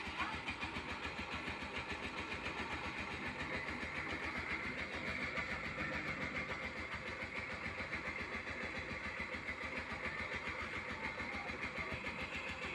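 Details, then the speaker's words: Suzuki GD 110 single-cylinder motorcycle with electric starter, after repair: small single idling at an even, steady beat of about three and a half pulses a second, with the earlier clatter gone; the cause was a broken Allen bolt that let the starter bendix at the magneto work loose. "At ito na ngayon yung andar niya mga boss nung magawa natin mga boss, ano, before and after. Okay, pakinggan natin mga boss. Wala na yung kalampag niya."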